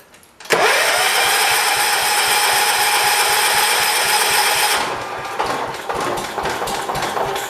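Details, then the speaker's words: 1985 John Deere 212 lawn tractor that sat six months with diesel mixed into the gas, spark plug just reinstalled: engine catches abruptly, runs loud and rough about four seconds, then dies. "There it goes. Well, we lost it. Why'd we lose it?"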